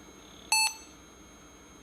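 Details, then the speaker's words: Old laptop cold boot after defaults accepted; it reboots and self-tests with 16 MB RAM, then boots Windows 95: one short, clean high-pitched beep, then quiet; normal POST beep. "oh it's rebooted okay so now it's going through this self-test all right so we've got 16 Meg's of RAM not bad"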